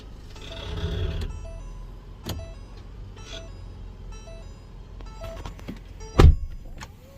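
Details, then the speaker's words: 2020-2022 Ford Explorer police vehicle, rear, pulling away after shifting park to drive; sharp metallic pop and tings amid suspension grunting over a quiet cabin, dry rusted CV axle splines slipping in the hub; repair planned without replacing axles. "there was nice ting there it was again nice little tap another tap there it was you hear the little ting ting ting ting ting in between the suspension grunting"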